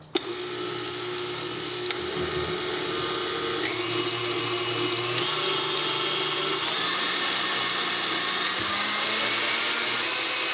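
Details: KitchenAid stand mixer after full teardown, grease replacement, gear cleaning and speed selector adjustment: smooth, steady motor whir with even gear hum, no knocking or grinding, speed changing in clean steps; fixed and running healthy.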